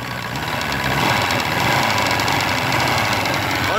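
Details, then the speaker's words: Force 120 (Mercury) 1999 two-stroke outboard off a Bayliner, freshly started, throttle blipped: buzzy run, even and picking up cleanly when revved, no misfire or knocking, smoking as a two-stroke should; healthy. "офигенный работает дымит как положено"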